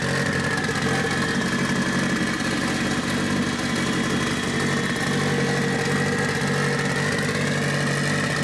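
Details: Mitsubishi Evo 8 4G63T with front-facing turbo kit, first start after owner's engine rebuild (pistons, crank, timing); high idle, throttle body adjusted; now steady, even idle with smooth low hum, no hiss or hunting: normal idle.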